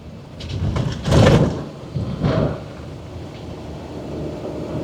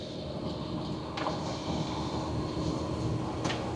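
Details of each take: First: Truck towing a trailer on a gravel road with the 2.5-inch anti-rattle hitch collar loosened: heavy clunks and thumps over road rumble as the trailer bounces, from play in the receiver. It was smooth with the collar tightened. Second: I don't hear the trailer bouncing or the tongue bouncing. It feels extremely smooth.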